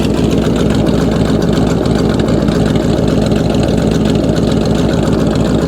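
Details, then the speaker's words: Truck idling after losing its oil when the oil pan plug fell out, with a new sending unit and filter fitted: steady, even, smooth idle. Owner hears a slight possible miss, unsure whether it is a miss or an exhaust leak. "That is impressively smooth. Slight slight miss I think."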